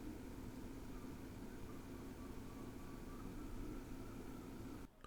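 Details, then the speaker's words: Same NAS with SSDs under load: indexing media on the drives, CPU 80–85%, 32–33 W. Steady fan hiss with faint hum, fan noise up, normal. "uh the fan noise increased but really that was it listen for yourself"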